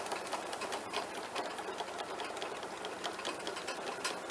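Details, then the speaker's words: Allis Chalmers sickle mower converted to 3-point hitch on a Kubota tractor, engaged lowered in working position: quick, even cutter bar chatter, steady rhythm, no knocks or binding; noisiest part is the PTO guard. Normal operation. "that is running really smooth the noisiest thing is the pto guard"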